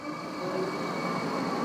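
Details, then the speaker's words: LS-swapped widebody Porsche 911 whose second cooling fan was previously unplugged: steady, even whirring rush with constant hum, no rattle or wobble, after reconnecting; fan works, seemingly medium speed, flowing the same air as the other. "it's working that sound good oh no that's good said to blow the cobwebs off but that's working that's working just as well they seem to be flowing the same amount of air"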